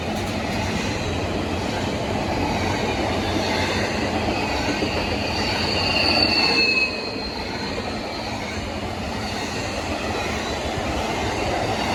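Rolling rumble with steady wheel clicks, then a sharp high-pitched squeal rises for a second or two as the cars pass; wheel screech.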